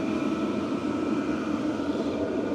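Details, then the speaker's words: VEVOR 8kW diesel heater after a full service for smoke and carbon build-up, turned up and drawing about 257 W (about 4 A): a smooth, steady combustion and blower roar with no pulsing or rattles. Normal running. "So, fuel's pumping in. Everything is running. It's chewing about 257 watts at the moment."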